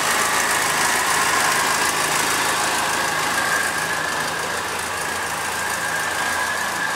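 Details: Second-hand Triumph Dolomite 1300 engine just fitted to a Gentry MG TF Replica, first start, warming up while burning spilt oil off the manifold: even, steady idle with a light hiss and no knocks, ticks or misses; sounds like a good, healthy engine.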